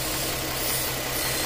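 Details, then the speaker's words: 2019 Ford F-150 3.3L 4WD with code P139C EGR sensor downstream hose off or plugged: loud steady hiss over even idle hum, heard when moving the broken EGR hose; vacuum leak at EGR hose. "oh you can hear a leak when i've moved"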